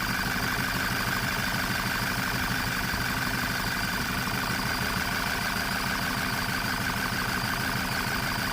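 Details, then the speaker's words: 2010 VW Golf GTI at idle with one ignition coil unplugged during misfire diagnosis: fairly steady idle with a faint uneven pulse; little change suggests misfire on cylinder 4, not yet confirmed. "okay and as you can see the engine is now running any worse so if that was number one that means the engine would be running on two cylinders only would be running way way worse than this if running at all"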